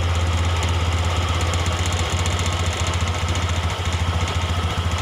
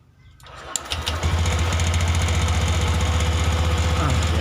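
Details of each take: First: Honda Beat ESP fuel-injected scooter, idle air screw opened about two-thirds turn then a further quarter turn to raise rpm: fast, steady idle with even chugging, too quick for idle, from excess air entering the combustion chamber. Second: Honda Beat eSP fuel-injected scooter, after ignition coil replacement: brief crank, catches within a second and settles into a steady, even putter about four beats a second; clean, healthy normal start and idle.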